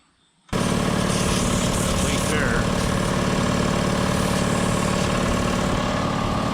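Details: 60-gallon Black Diamond compressor with hammering factory pump replaced by Harbor Freight pump, 30-weight oil added: steady even pumping chatter about three and a half strokes a second under constant motor drone, building pressure toward 120 psi; healthy.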